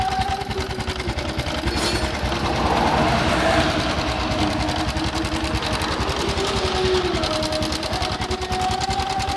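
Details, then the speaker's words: Honda Supra X 125, rough noise at front of block/head: fast dry clattering tick over a busy idle after turning the cam chain tensioner adjuster bolt, noise persists; sounds like cam chain rattling. "Ini udah saya putar. tapi suaranya masih ada, masih bunyi. Ini kayak suara kamrat."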